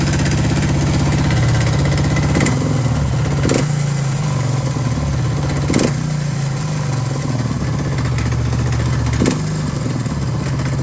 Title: Suzuki DR650 Dakar SP41B - Help, Hilfe - Motor macht komische Geräusche, engine makes strange noises